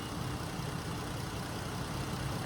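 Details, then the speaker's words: 3.6 Pentastar V6, rear-wheel-drive, after lifter and rocker replacement fixed a bad tick: smooth even low idle rumble with no tick or tap; quiet and healthy. "so yeah this was sitting here running she's purring like a kitten take a listen"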